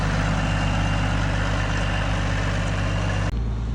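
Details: Kenworth W900 diesel first start after roadside turbo replacement: deep steady idle with smooth even beat, no whistle, squeal or knock; engine and new turbo sound healthy.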